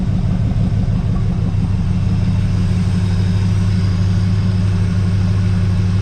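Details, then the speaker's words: 1982 Chevrolet Camaro V8 back running on years-old gas with homemade side pipes, warmed up: deep steady rumble, even pulses, no knocks or misses; calm normal idle. "yeah that sounds real calm and Casual think we might have a decent running machine"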